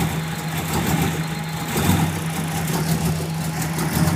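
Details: 1994 Ford Mustang idling rough: a low, uneven, lumpy beat about once a second with no clean rhythm.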